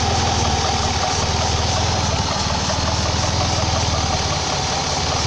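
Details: 2004 Ford Escape / Mazda Tribute 3.0 V6 at idle: constant airy hiss over the engine note with a slightly uneven beat; it sometimes stalls but otherwise runs well, owner suspects a vacuum leak he cannot locate.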